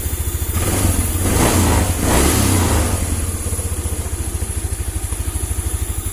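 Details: First-model Honda Vario 110 that sputtered when the turn signals or horn were used; after fitting a new regulator/rectifier (kiprok), a steady low thump rises briefly in revs and settles to a clean, regular idle, running healthy.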